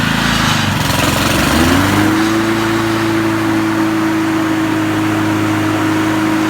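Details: Honda mower after an oil seal leak repair, restarted upside-right to check for leaks: the engine catches, climbs to a steady governed speed and holds an even, smooth hum with no knocks or misses.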